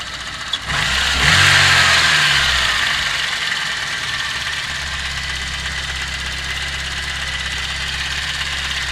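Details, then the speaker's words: VAZ 2109 at about 192,000 km, warm at about 80°C after driving; steady idle with busy light ticking clatter from the top end, louder than a freshly rebuilt engine; owner attributes it to worn lifter (bucket) seats in the cylinder head. "чуть-чуть шумноватый, но есть, конечно, вот когда двигатель после капиталки полностью с головой, ну, полностью нормальный двигатель, то он тише работает, чем этот."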